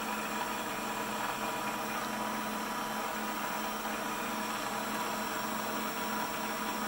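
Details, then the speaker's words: PM-728V-T mill spindle on high-speed pulleys, running at about 2,500–2,600 rpm: even, quiet whir with a faint high tone and soft hiss, no knocking or grinding. "it's pretty quiet in the vibration I put my handle on it I don't feel much it's well balanced"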